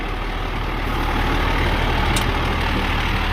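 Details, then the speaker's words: 2001 International 4700 diesel truck after running over half an hour: deep, even idle with steady low throb, no smoke, knocks or misses; healthy engine. "All right. The motor sounds great. It's been running for over half an hour. No smoke, no knocks. Sounds good."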